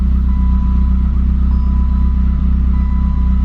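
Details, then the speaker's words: 1988 BMW E30 M3 cold-started after sitting six months: a deep, loud exhaust burble at steady idle with even pulses and no misfires, knocks or ticks. Oil pressure came up quickly; healthy. "Just pop the hood. All seems well. It's got a really loud exhaust, but it sounds good."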